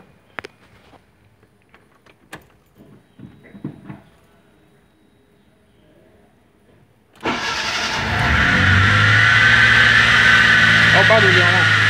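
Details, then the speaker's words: 1998 Fiat Palio with the Fiasa engine at idle: a loud, high, steady whine from the belt-driven accessories at the front; alternator suspected over the water pump, cause not confirmed. "Então, viu aí, pessoal? O barulho que tá fazendo é um barulho muito alto."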